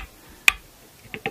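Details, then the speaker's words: Chinese strat-style guitar, Maurice Maddison, freshly re-radiused and re-fretted with new frets, during fret levelling: rocker tool gives three small sharp ticks, one then two close; uneven fret height, one fret noticeably low. "It's quite some unevenness, shall we say. Still, we'll keep them working at it. There's lots of material on here because these are brand new frets, so that's good."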